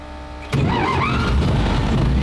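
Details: WWII German petrol vehicle that had rancid fuel in its tank, non-standard electric fuel pump, fuel tap on, a little throttle: quiet background, then the engine catches at once and settles into a steady idle; normal clean start.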